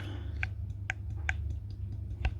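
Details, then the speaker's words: Ford Fiesta 1.4 TDCi removed turbocharger, car smoking white with oil-filled intake pipes: sharp dry clicks as the shaft is rocked by hand forward-back and side to side; quite a lot of play, worn turbo bearings. "you can hear quite a lot of play so that's side to side in and out it's quite loose so I'm gonna replace it with the other one"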